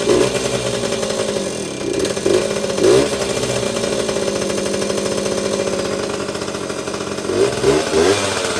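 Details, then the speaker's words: 1977-1979 Yamaha GT80 two-stroke enduro, first start in a while on choke, oil recently changed: crisp buzzy popping climbing and falling cleanly with throttle blips, steady firing, little smoke, no knock or misfire; normal running. "Didn't take long to start, and yeah, these old two-strokes, man, just start right up. Not even that much smoke either."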